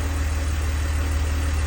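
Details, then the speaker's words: 2002 BMW 330Ci idle after secondary air pump shuts off: steady even idle, no ticking or misses; earlier tick gone after plugs retorqued and coils swapped, cause unknown, suspected collapsed lifter; runs smooth. "but that sounds like a perfectly healthy engine to me it's making some extra noise cuz the secondary air pump is running and that'll turn off in a second here and there it goes but that sounds nice and smooth to me"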